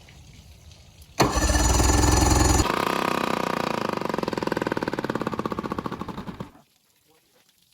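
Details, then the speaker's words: Boat outboard motor, cranked with choke pulled (choke solenoid needs sorting): cranks, catches and runs with a rapid even beat that eases off before shutdown; healthy start, no major fuel leaks, goes into forward and reverse. "Other than that, it runs. No major fuel leaks or anything at the moment. Everything sounds good, goes into gear, both forward and reverse."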